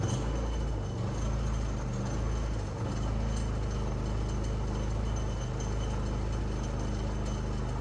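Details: Predator 3500 inverter generator that only ran on choke and surged, after cleaning the clogged jet without removing the carburetor: steady low drone with no rise-and-fall hunting over eight seconds; running smoothly.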